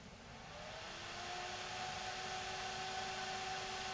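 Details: Selco Genesis 140 inverter welder's cooling fan on a bench supply at about 12 V, drawing under 100 mA: airy rush with a faint whine that climbs as it spins up, then holds a steady pitch. Fan runs normally.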